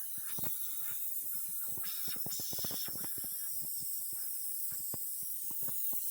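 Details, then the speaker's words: Brand-new cheap tire on a farm buggy just seated on its bead; steady thin hiss of air escaping through a large hole in the tire under scattered handling clicks. "Giant hole. I don't know if you can hear that."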